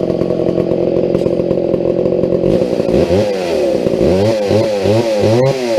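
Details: McCulloch 797 123 cc chainsaw, sat unfired for years, fitted with a foo bar fuel system and filter: steady high buzz, then clean blips, revs rising and falling crisply, no bogging; healthy running.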